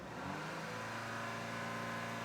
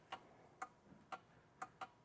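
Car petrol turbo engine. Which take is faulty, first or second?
first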